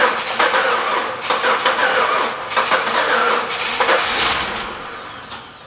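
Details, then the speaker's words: 2004 Pontiac Grand Am GT that sat five years at auction, cranked with two jumper packs: ragged sputtering in bursts then fading, runs only on sprayed carb cleaner; injectors suspected stuck closed from sitting. "a lot of times these injectors when they sit will stick closed they need a heat cycle for them to unstick themselves so we're gonna have to run it off carb cleaner"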